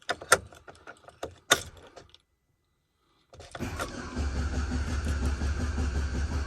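Keys jingle, a pause, then a short sluggish crank before the engine catches and settles; the battery is nearly flat.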